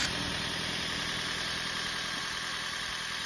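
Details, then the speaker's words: 2013 Toyota Prius hybrid on jumper cables, battery not holding charge since March: soft even idle hum, no knocks, misses or rattles, running quiet; normal idle. "you can hear it though it's running fine it's nice and quiet it is a hybrid it's doing its own thing"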